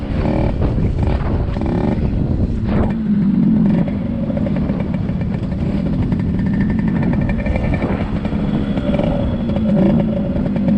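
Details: 1974 Yamaha RD60 two-stroke, first ride after sitting over 8 years: steady flat buzz that never climbs into a high-rev wail, only reaching about 5000 rpm instead of 10–11,000; lacking top-end power, carburetor issue suspected, carb cleaning planned.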